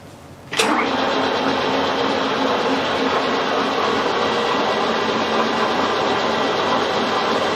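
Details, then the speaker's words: Victoria milling machine, chain drive from main spindle to table feed, previously noisy at high speed, after chain tensioning: steady even whirr at slow speed, no knocks, slaps or rattles; running smoothly, unloaded. "that sounds all right let's give it a so certainly sounded fine on the slow speed let's get a little bit faster and give it a serious test and see what we've got"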